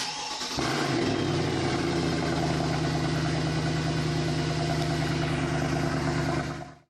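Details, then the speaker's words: Mercedes-Benz W204 C63 AMG with M156 petrol V8 after a botched rebuild elsewhere, idling: hard, steady diesel-like clatter coming from the timing drive up top; cause suspected, not confirmed. "Also das Geräusch merkt ihr euch mal, das kommt hier oben aus dem Steuertrieb und ich zeige euch jetzt mal, wo ich meine, woran da"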